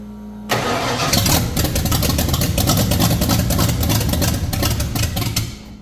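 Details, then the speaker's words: 1989 Ford Foxbody carbureted engine after getting fuel into the previously empty front float bowl: engine catches after cranking and runs unevenly, stumbling and wavering as it struggles to hold a rough idle. "all right so there's a little update we do actually have it trying to idle now so we are uh going to leave it at that for today"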